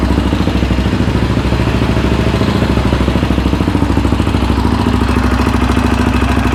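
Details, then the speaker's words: Yamaha Raptor 700R after engine rebuild, first run with FMF pipe: very loud, choppy single-cylinder bark at fast idle with sharp pops, shooting flames and backfiring as it still needs a fuel tune; programmer to be fitted. "She's shooting flames. We got to put that programmer on her to clean that up."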